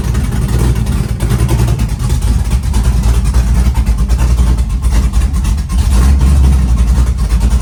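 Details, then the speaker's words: Chevy truck with freshly built LS-swapped big-cam V8, warming up from 75° coolant temp, 65–75 psi oil pressure at idle: deep steady lopey rumble, even beat, no knocking or ticking; idling normally. "But as far as the engine and the way it's running, we're good."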